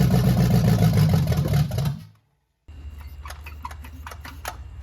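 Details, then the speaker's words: 1968 Chevelle with a swapped-in used small-block Chevy V8, first start attempt; runs rough and lumpy a couple of seconds, then fades and dies from fuel starvation, a carburetor issue with fuel likely not coming through the idle circuits. "Yeah, that's just not getting fuel. It's a carburetor issue for sure."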